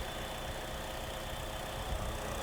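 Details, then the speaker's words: GM 1.4L turbo Ecotec with P0171 and maxed fuel trims: thin steady whistle over a slightly rough idle, air sucked through a torn PCV diaphragm on the camshaft cover; covering it smooths the engine. "If you listen very carefully here, you can hear maybe that whistling sound."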